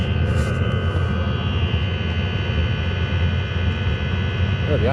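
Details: Chinese diesel heater after a failed attempt to quieten its jet-engine-like noise: a steady, deep, even roar, no pulses or knocks. Noise is from the exhaust rather than the unit; owner later suspects the motor bearing.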